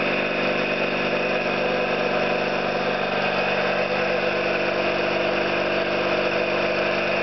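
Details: Orlík 2 JSK 75-2 compressor at one of its first starts after the owner's rebuild of bad concentric valves and seals, motor provisionally run in star for the house breaker; steady even drone, constant pitch, no knocks or rattles; normal running.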